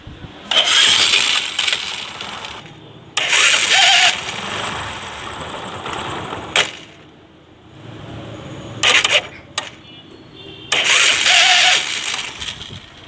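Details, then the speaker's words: Bajaj Discover 100/110 motorcycle electric start: each crank brings a harsh, rasping grind from the starter motor as the engine catches, over several start attempts, and the noise can also come as the engine shuts off; starter motor fault. "তো আপনারা হয়তো বুঝতে পারছেন যে self মারার সময় self থেকে একটা বাজে শব্দ আসছে, একটা ঘা ঘা করে শব্দ করতেছে।"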